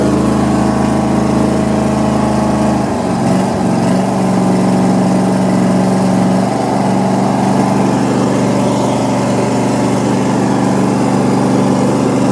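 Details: Vintage Cub Cadet 1440 just restarted after restoration and reassembly: an even, steady engine note that shifts speed about three seconds in, then settles into a smooth, regular run with no knocks. The engine is running normally.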